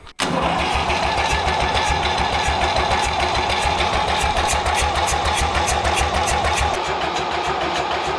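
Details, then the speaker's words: David Brown 990 diesel tractor abandoned 20 years after tipping over while running, fuel system flushed, fresh fuel, air filter checked, oil not yet changed: catches at once, steady even idle with low chug near 200 per minute; runs, sounds not bad. "Well, she's a runner. It doesn't sound too bad actually."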